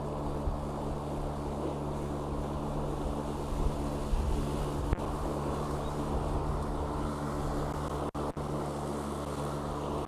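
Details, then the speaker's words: Craftsman/MTD E-150 electric riding mower (1500 Wh lithium-ion battery, about 5–5.5 mph) mowing with blades engaged: steady, even low motor and blade hum, no knocks or rattles, quiet enough to talk over; normal healthy operation. "the fact that you can hear me over the over the Boeing blades again there's a testament that relatively quiet it is as a more"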